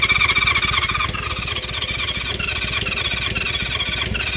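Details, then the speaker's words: 1970s Honda CB550 or Kawasaki KZ650 four-cylinder, sitting for years, starting spray used, choke tried: starter churns steadily about four pulses a second with no cylinder catching; cranks but won't fire, compression later found in cylinders one and four. "Come on. Oh. Come on. Ah, nothing. Nothing."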